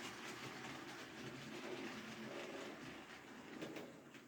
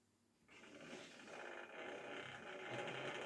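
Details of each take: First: Hornby model Ruston locomotive on maintenance-day test after about four laps: light even motor hum with soft rail clatter for about four seconds, then stops; runs fine; normal model locomotive running. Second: Hornby model railway loco "Belfast" during a maintenance-day run: motor whirs unevenly with buzzy, ratchety gear chatter and surging pitch, visibly unhappy; the pickup wire has come off, starving it of current (owner also wonders if track or wheels are kinked).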